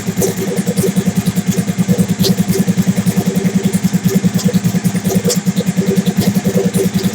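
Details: Big-turbo Suzuki TL1000R V-twin with 560cc injectors and Power Commander, after idle tuning: even, steady idle with a firm regular pulse of about three beats a second, no misses or stumbles; owner happy with it, normal idle.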